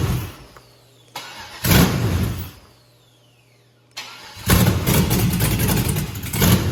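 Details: 150k-mile 6.0 LS V8, first start after finding a missing wire up top: starter cranks, catches with a bark, settles, fires again into a steady lumpy idle; normal start and idle.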